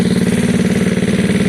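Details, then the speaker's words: Gilera DNA scooter after carb upgrade, higher jets and a thicker new fuel line, warming at idle without an air box: steady, even rapid beat with no misses, knocks or rattles; sounds great but needs an air box for restriction. "i mean you can hear it it sounds great at the moment but it obviously needs some restriction it needs an air box"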